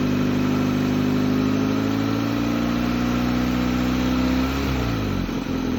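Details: 2004 Hyundai Elantra that sat for 2 years, just restarted with check engine light on: engine holds a fast, steady speed then sags in pitch, revving irregularly.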